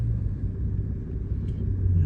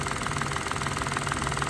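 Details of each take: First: 2014 three-cylinder car with check engine light and P0350 coil primary code returning right after clearing: deep, lumpy idle that shakes unevenly with heavy vibration, running on two cylinders; the middle cylinder's coil is getting no signal through a corroded connector. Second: 2014 three-cylinder car, after repair for P0350 misfire: water had likely got in, leaving carbon in the middle coil's connector; now all three coils work. Even, steady idle with a smooth regular pulse, no stumble or missing beat; all cylinders firing.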